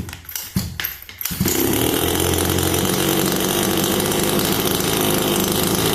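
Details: Rebuilt HPI Baja 5B CY 26cc two-stroke gasoline RC buggy engine after full rebuild, including crankcase bearings: a few quick pulls, then it fires straight into a steady high buzz with no stumbling or rattles. Rebuild successful, normal running.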